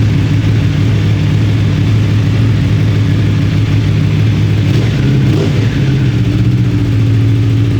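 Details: 2026 Aprilia RSV4 on the dyno with the long Akrapovic muffler (the short SC Project one caused idle hunting): deep, even idle burble with steady rpm and no hunting; healthy.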